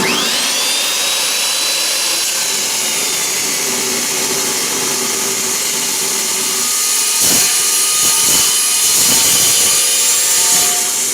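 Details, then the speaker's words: Saw blade used only five or six times cutting metal: steady high-pitched screech with rough chatter, cutting poorly; owner suspects one tooth out of set. "I don't know why I've only used this blade like you know five or six times but it's already starting to cut like crap and I don't like that too much"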